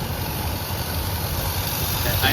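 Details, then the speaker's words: 1990 Dodge W250 Power Ram after fitting two of the same part together: slow deep idle rumble, even but sitting noticeably low, just above stalling; owner worries it idles a little too low. "Now, it kind of worries me that it's idling a little too low."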